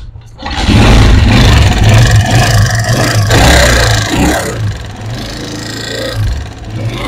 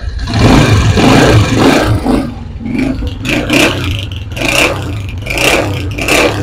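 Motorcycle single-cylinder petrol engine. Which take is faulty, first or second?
first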